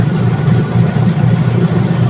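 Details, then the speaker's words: Dowell washing machine after gearcase replacement, previously grinding when the pulsator spun: low steady hum with drum motion, no grinding or clicking, quiet strong agitation, no leaks. "So ayan ayon okay na umaandar na at wala ng ingay matahimik so malakas din umikot"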